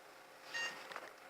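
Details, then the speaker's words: Philips PC at power-on: one short beep in a quiet room with no display on the monitor; that worked the day before; fault unknown, possibly the monitor or its cable. "Beep. It's beeping at me. That's all I can tell you."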